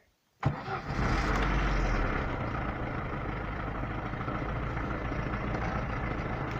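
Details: Lada Niva engine after owner-done valve clearance adjustment for valve knock, warm; starts promptly and settles into a steady, even idle with no top-end ticking. The chain tensioner is already worn.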